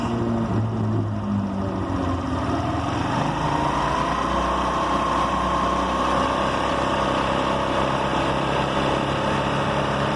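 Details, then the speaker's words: Motorcycle at medium-high speed: a busy engine drone with a faint rattle and rising tone. The rattle persists after everything was tightened; the owner suspects the two internal gears. "últimamente en la moto se escucha un ruido Como cascabeleo pero no sé qué sea a ve se alcanza a escuchar a media alta ya empieza a"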